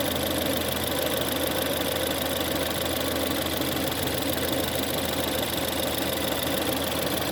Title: 1.6 Ecoboost Howling/Whining noise cold idle start